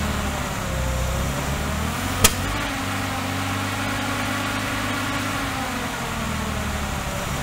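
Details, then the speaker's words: Austin Healey 3000 six-cylinder on SU carburetors, test fire after float rework: lumpy idle with a sharp pop from the carbs; still popping, banging and unhappy. "she's still popping and banging and not happy"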